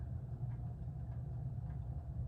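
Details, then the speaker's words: 1980s Litex hugger ceiling fan on low speed: low motor hum, typical of these fans, with a faint tick about every 0.6 s. A wire is suspected of hitting the top of the motor inside. Rubbing noise. "Sounds like there's a wire hitting the top of the motor in there, because it's a hugger, and that's what happens."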